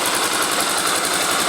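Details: Honda Twister motorcycle engine after a strange chain-like noise was fixed by replacing the cam chain tensioner: a steady, even idle pulse with no ticking or rattle from the cam chain.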